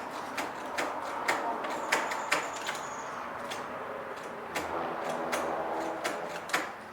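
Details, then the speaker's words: Kubota riding lawnmower that sat unused for years, battery likely weak: starter solenoid gives sharp, uneven clicks in quick runs but the engine never cranks; owner suspects the starter and considers tapping it with a hammer. "I hear the solenoid and I hear something. Wonder if I tap it with a little hammer, the starter will come back. Well, I think that's the first problem we need to tackle, is the starter."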